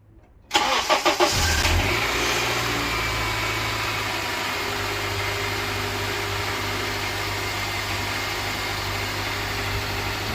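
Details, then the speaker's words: Honda Elysion K24Z4 after replacing all spark plugs, belts, pulley seal and front crankshaft seal: cranks briefly, catches, settles into a steady, even idle with no knocks, ticks or misses, no oil leaks; normal idle. "Бәрі нормально. Бәрін жинастырып болдық. Тамаша жұмыс жасап тұр."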